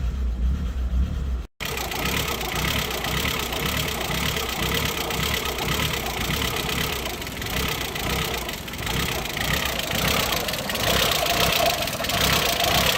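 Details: 2003 VW Jetta 1.8T (AWP) after a head gasket, timing belt, water pump, vacuum line, intake and exhaust gasket and PCV rebuild: it starts, then idles unevenly with an irregular lope and uneven pulses; rough idle, cause unclear.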